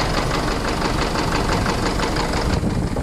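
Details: Isuzu D-Max 4JJ1 diesel idling with a rapid, steady metallic knock on every turn of the crank, from a crankshaft or rod bearing fault inside the engine.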